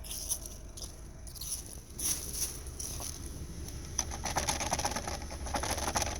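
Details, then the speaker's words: 2013 Honda Civic, left rear plastic wheel cover rocked by hand while parked: light irregular plastic clicks and rattles; hubcap loose, lug-nut rubber washers believed no longer to hold it, the cause of clicking over bumps. "It's basically a plastic hubcap. Lug nuts have this little rubber washer on it."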